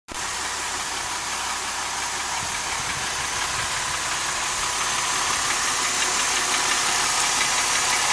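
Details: 2005 Mercedes SLK350 M272 engine, noise present since 80,000 miles: steady rapid tapping knock, about three a second, over a hissy idle; owner suspects scored cylinder wall, cause unconfirmed; engine later failed near 130,000 miles.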